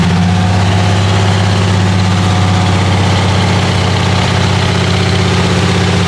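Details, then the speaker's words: Chrysler 300J with rebuilt 413 Cross Ram V8, just reinstalled and started during carb tuning. Deep, even idle pulsing about four times a second with strong low rumble, smooth while warming: normal warm-up idle. "hey here we go I need to be warmed up okay let me warm it up"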